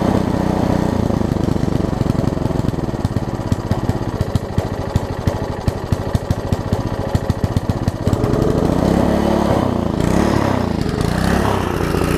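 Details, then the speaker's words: Troy-Bilt Tuffy rear-tine tiller, rebuilt from parts after carburettor diaphragm refitted, third start attempt: sharp regular firing pops turning uneven and surging; engine runs on its own but roughly. "it will actually run on its own not very well yeah but it will run on its own"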